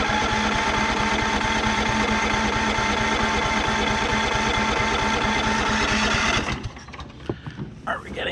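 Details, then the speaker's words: Cub Cadet riding mower with an engine just installed, battery and fuel hooked up, fuel solenoid clicking: steady starter cranking about three turns a second for six seconds with no firing; fuel is getting in and the owner suspects it is flooded. "gas a little bit in there we are getting gas maybe I flooded"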